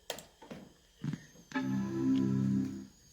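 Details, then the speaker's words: Macintosh LC III, speakers reconnected, restarting with extensions off: a few soft clicks then one sustained chord ringing about a second and a half, the classic old Mac startup sound. Normal startup chime. "Gotta love it. An old Mac startup sound. Shame on you, Tim Cook, for taking it out of the new Macs."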